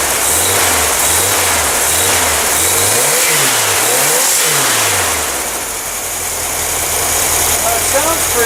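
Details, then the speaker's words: Old engine after a generator swap, sat two years, petcocks now opened, choke held closed: catches, revs up and down through a few blips with slight stutter, then settles to a steady idle; normal running, possibly a viable engine. "good it might be a viable engine"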